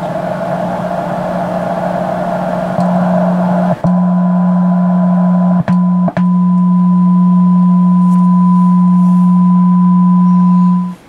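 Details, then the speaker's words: Yaesu FR-101 receiver being revived with a tack-soldered replacement capacitor, tuned to 7.2 MHz: a signal-generator tone turned down to about 0.5, then 0.2 microvolts still comes through clean and steady with brief dropouts. Good sensitivity. "we're still receiving a signal that's about point 5 micro volts about 0.2 I'm still hearing it"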